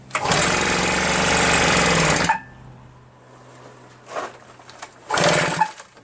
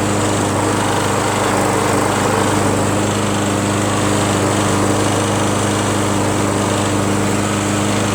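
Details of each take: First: RedMax EBZ8050 two-stroke backpack leaf blower after new piston rings installed for no compression; very hard to pull, owner suspects rings too tight and lacking cylinder lubrication. Catches and roars about two seconds, dies, then only brief coughs on later pulls: hard starting. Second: John Deere JS63 self-propelled mower, Briggs & Stratton 6.5 engine, free curbside pick, garage-kept, started first pull: constant high buzzing note at steady speed, no surging or sputtering; runs cleanly, self-propulsion works, only handles loose.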